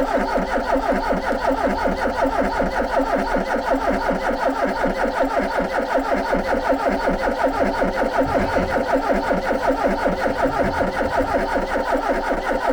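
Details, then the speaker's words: Ford Capri found sitting in a garden, first start attempt: steady starter churning about eighty beats a minute for over ten seconds without catching, with little fuel smell; too little fuel is suspected, not confirmed; crank, no start. "you can hear me snorting because I'm deliberately sniffing to see if I smell any fuel it doesn't smell particularly of fuel so we might not have enough in it"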